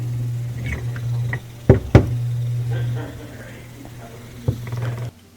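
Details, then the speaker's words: Miele dishwasher before repair: old fill valve makes a machine-gun noise during fill, with steady low buzz and irregular clicks, and the intake/drain light comes on; valve probably not fully opening, chattering back and forth. "this dishwashers just making like a machine gun noise during the fill cycle and then the intake drain light comes on so the valve is probably not fully opening it's just kind of going back and forth"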